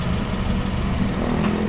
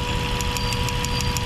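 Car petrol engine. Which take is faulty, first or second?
second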